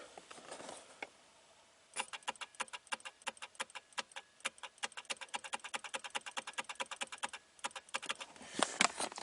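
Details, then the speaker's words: 2014 Chevrolet Camaro key stuck in ignition: crisp quick park lock solenoid clicks, about five a second, with each rapid shifter switch press, no misses; solenoid works, switch fixed with contact cleaner. "so I'm going to hit the switch inactive active inactive active and you can hear the solenoid I'm going to hit the switch real fast I want you to listen to the solenoid in here"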